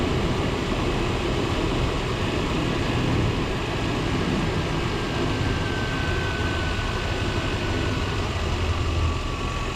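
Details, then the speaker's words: 1993 Chevrolet truck, throttle body 350 V8, warm and in closed loop after thermostat replacement: steady, even low rumble with no misses, knocks or ticks; idle staying good and low. "That old 350 sounds good through that float. Okay. Idle staying good and low."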